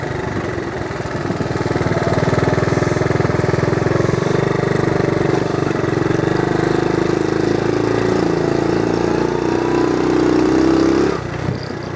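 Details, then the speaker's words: 1970 Honda CT70 Trail 70 with automatic clutch, ridden around the yard: small single steadily puttering under load, pitch easing and climbing as it shifts first to second; runs clean and even. "but you can see she's uh that sound brings back memories no issues just a fun little ride"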